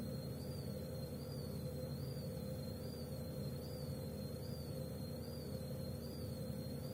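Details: Gorenje W98F65I/I washing machine, 8 months in use: a thin high whistle wavers roughly once a second over a low motor hum; drive belt squeal.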